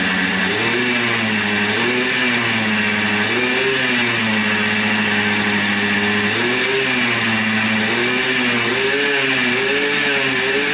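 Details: 1996 Yamaha Blaster 200 two-stroke quad, previously bogging with no power, after carburettor rework (suspected flooding, needle clip in wrong position): crisp buzz revving up and down cleanly through throttle blips without bogging; normal revving, fixed.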